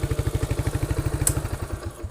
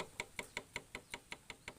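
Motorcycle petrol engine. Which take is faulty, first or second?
second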